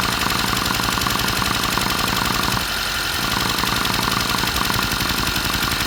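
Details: 2022 Mercedes Sprinter M274 petrol engine, 237k km, idling unevenly with stumble and thud; cylinder 3 misfires from low compression (90-120 cold, 60-90 warm vs 140-150 others), spark confirmed good, blow-by suspected from crankcase.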